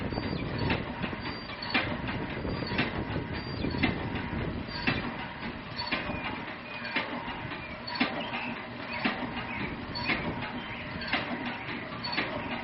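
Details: Empty RK Drums 4 lb drum turning on the motorized rotisserie during gas grill preheat; soft knock about once a second over the motor rumble as the drum flops loose on its rod. Harmless; center-punching the flange tightens it.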